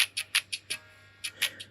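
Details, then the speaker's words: First-gen AirPods Pro right earbud after replacing a speaker that crackled, especially at high volume: clean, clear music with no crackle or buzz; normal playback. "all right so here we go got it all working again sounding great"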